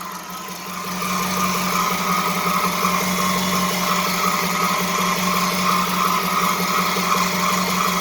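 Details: Dodge Charger R/T 5.7 Hemi after replacing shredded serpentine belt and bad tensioner pulley: steady idle with constant mid-pitched whir and faint rhythmic chirp from the accessory belt; owner suspects belt too tight, not confirmed.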